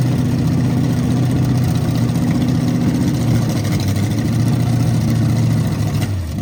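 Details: 1929 Model A truck with a replacement engine, after the plug wires were redone to the correct clockwise firing order: a steady, even low rumble at constant speed with no misses or knocks; normal running.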